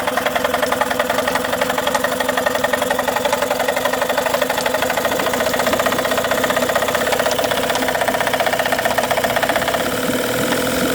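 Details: Tohatsu 18hp two-stroke outboard idling with a busy, uneven rattle and sharp ticking, a knock riding on the engine; cause unclear.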